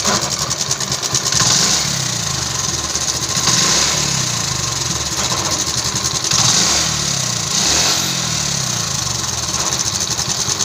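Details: TVS XL100 Heavy Duty idling with a rattly, surging chatter swelling every couple of seconds, noticed at slow speeds; suspected worn clutch plates or clutch mechanism, unconfirmed.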